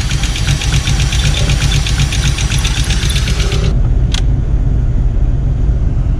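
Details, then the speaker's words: 1986 VW Golf 2 with a 1.8 GX 90 hp engine, after about ten minutes of running: a loud, lumpy, uneven idle that shakes like a tractor and nearly stalls; the cause is not yet found. A rough idle. "нет смотрите держит не глохнет nutella хитон до сих пор как трактор все машина 3 бежице мог подойти чуть не вот чуть не грохнул"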